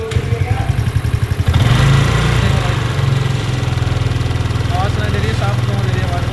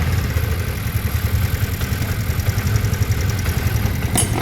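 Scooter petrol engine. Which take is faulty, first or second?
first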